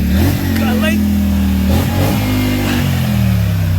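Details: Another rider's machine after its exhaust was repaired by welding it solid. Revs up and settles with a clean, even exhaust note, no puffing or ticking. Healthy, sealed exhaust, no leak.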